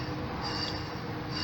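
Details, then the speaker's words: 1999 Jeep XJ with new aftermarket A/C clutch, engine running, shims being added without the nut fitted: continuous high-pitched scraping squeal as the clutch plate rubs on its pulley, still rubbing with four shims. "i don't have the nut on but it's the uh pulley is rubbing if you hear that it's definitely rubbing sounds like so i gotta put a fourth shim in"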